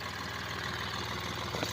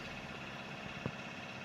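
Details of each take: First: Hyundai Xcent diesel with knocking, hard starting, black smoke and low pickup: quiet idle with even, rapid tapping clatter over the rumble; injector nozzles found jammed, cleaned. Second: Hyundai Xcent diesel, previously knocking with starting trouble, black smoke and low pickup, after cleaning jammed injector nozzles and clearing the warning light by scanner: even, steady idle with only two faint thumps. Now runs normally.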